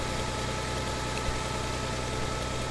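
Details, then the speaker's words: 1962 Farmall 560 tractor (about 60 hp) after the carburetor was cleaned, with no adjustments or new parts, and a new fuel filter fitted, starting right up: steady, even low idle with no misses or knocks; normal idle. "here she's starting she's starting right up you can see runs like a runs like a top so our clean in without any adjustments or without any uh new parts in this case worked"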